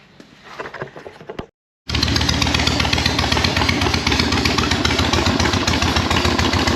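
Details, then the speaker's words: 1976 Harley-Davidson Ironhead V-twin on its first start after rebuild: after a brief pause it settles into a loud, lumpy potato beat at about four thumps a second while sprayed penetrant burns off the heads; normal idle. "I'm just happy that it runs at a halfway idle"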